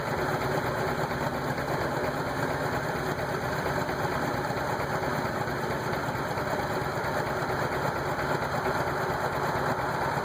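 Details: Petrol engine idling with an uneven, stumbling beat, a steady rough idle, and rough acceleration; the air hoses are confirmed tight and the owner suspects the MAF sensor, not confirmed.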